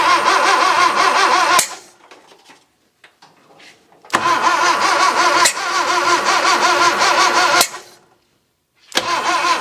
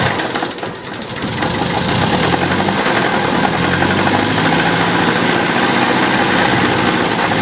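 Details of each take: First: 1966 Datsun 520 truck abandoned for 40 years, first start attempt: three bursts of steady starter cranking at about three turns a second with pauses and no firing; it turns over and the starter works, but no start. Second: 1966 Datsun 520 farm truck abandoned 40 years, first start in freezing cold with fuel in the carb bowl and float at level: engine catches and settles into a steady, even idle with no metallic knock. The clunk is thought to be clutch/flywheel, not a rod. Normal idle.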